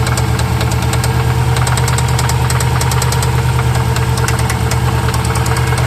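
Sharp ticking knock about three times a second rides over a steady idle rumble; there is a definite knock in the bottom or pistons.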